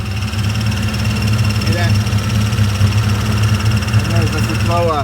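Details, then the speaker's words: 1997 Ford Mustang GT with nitrous, manual: steady idle with constant low whirring hum from the bellhousing, clutch not pressed; noise goes away when the clutch is pressed, suspected worn throwout bearing. "bearing unless you step on the clutch goes away so I'm not gonna spend the money changing that"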